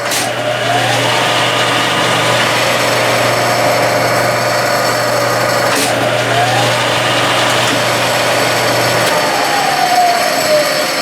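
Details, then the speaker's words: Clausing 12-inch Model 5900 lathe from the 70s or early 80s, after first-ever adjustment of a slipping clutch: motor hums steadily and the heavy chuck's spindle whine climbs to speed quickly without slipping; clutch now gripping. "There's quite a difference here, so I'll turn it on. Now watch how quickly it comes up to speed."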